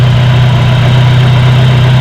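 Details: Car fuel pressure regulator check, engine started, gauge reading about 3 to 3.5 bar, standard setting: steady even idle with constant low hum, no knocks or misses, running normally.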